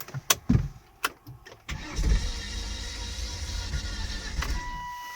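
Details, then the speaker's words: Volvo V70 engine that died on the road: after a few clicks the starter spins fast and even with no compression pulses and the engine never catches; owner suspects lost compression, cause unconfirmed. "when i turn the starter on uh it sounds like it doesn't have compression on in the engine"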